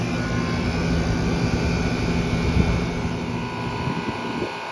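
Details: Soliton heat-pump air conditioner that would not turn on, outdoor unit refitted with all screws and gas-charged, then switched on: steady low hum with an even fan whoosh, no knocks or rattles; running normally.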